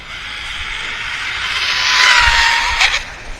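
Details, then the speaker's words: SCY16301 RC car on a gentle 3S battery run on salty road, about 80 km/h: high motor whine climbing with speed, then a harsh rattly burst; pinion suspected letting go again, motor pretty hot afterward. "oh that sounds bad think that's the pinion letting go again"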